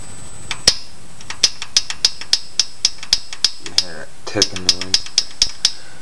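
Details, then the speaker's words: GM 3.4L V6 idling with sharp metallic ticking about three a second; exhaust rocker arm loose and tapping because threads for its hold-down bolt stripped. "that tapping just HS The Rocker on it's uh the um threads let loose on the uh for the bolt that holds the rocker arm down"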